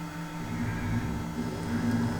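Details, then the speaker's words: Porsche Cayenne radiator fan run by scan-tool activation: a low, steady whirring hum runs evenly with no rubbing, ticking or wobble, so the radiator fan motor is working normally. "For example, if you thought you had a problem with the radiator fan motor, you could test it just like that without needing to do anything too clever."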